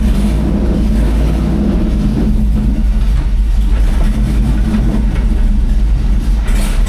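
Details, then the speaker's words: 1999 GMC Sierra with a 6.0L Escalade engine and a Nissan 350Z CD009 6-speed manual swapped in via a Collins adapter, first tests: deep V8 rumble stays low and uneven without picking up freely; engine struggling, cause not evident. "It's just struggling."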